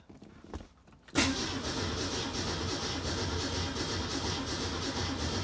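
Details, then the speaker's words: 1967 Ford Mustang with Holley Sniper 1100 EFI, after an ECU power cycle: starter churns steadily over four seconds but the engine never catches; strong fuel smell, owner suspects flooding and an EFI setting fault. "Yep, see, it's still doing it."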